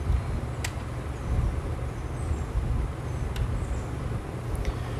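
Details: 2006 Nissan Sentra after fuel pump replacement for hard restarts: low even idle with 55 psi fuel pressure, no stumbles or knocks, a few light clicks; pressure held after shutoff, repair successful.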